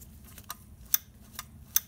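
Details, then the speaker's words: Kenmore 90 Series gas dryer: sharp dry clicks, about four in two seconds, as the belt cut-off switch snaps over with idler pulley movement; normal, it cuts motor power if the belt breaks. "hear that clicking that's a belt switch it's a cut off switch so if your belt breaks and then this idler pulley loses tension it'll cut the power to the motor"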